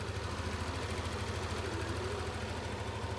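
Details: Yamaha NMAX scooter that came in with its indicator light on and an abnormal idle. After cleaning dirt from the ISC and lowering a throttle setting that was too high, it holds a steady, even low idle with no hunting or surging.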